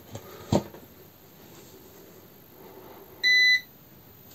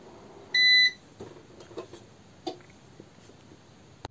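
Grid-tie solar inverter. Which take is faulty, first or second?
second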